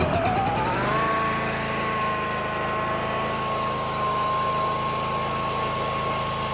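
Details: Bobcat Predator Pro zero-turn mower with Generac engine that was losing power and bogging in tall grass, started after fuel line work at max throttle with choke on: catches, revs up and runs steady with no misses or surging.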